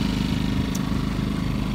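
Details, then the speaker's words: Generator with economy mode on an Andalusia Marine 2070 bowfishing boat kicker rig, running under load; steady, even, moderate-pitch hum with no misses or knocks; normal running under load. "these things are super quiet most of you used an inverter generator before in case you had it's a little louder it's got an economy mode so it only runs as hard as it needs to"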